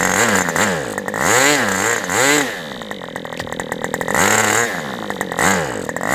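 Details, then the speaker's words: Aviastar 46 ABC model engine with Super Tiger carb, spray bar rotated: screams at high revs then sags and surges when throttled back and forth; weird mid-range transition, idle RPM climbing; cause not confirmed. "Super Tiger carb, it's really kind of the transition is just kind of weird."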